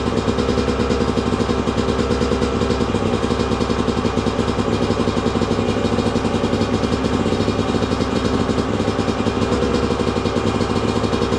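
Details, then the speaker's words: 2002 Yamaha YZ125 two-stroke, sat a long time, running on choke after first start: crisp, even crackle with a fast steady beat, no knocking or clatter underneath, crank sounds good; normal idle. "Running really good too. And I knew it would. Crank sounds good. There's no knocking or clattering,"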